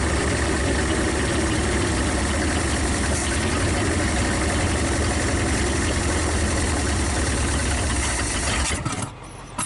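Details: 1956 Studebaker Golden Hawk V8 on first start after sitting: catches and settles into a slightly rough but even idle on all cylinders, no knocks, then shuts off. Smoke is PB Blaster on the manifolds. Owner thinks it needs running and plans compression tests and probably a valve check.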